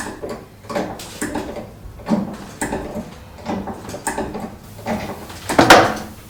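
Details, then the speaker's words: Citroen Relay camper van, rear suspension knock only on uneven ground, reproduced by jacking the body: sharp, dry creaking clunks about once a second. Owner suspects the rear leaf spring bushes; not confirmed. "Right, I think it's the bushes on the rear leaf spring."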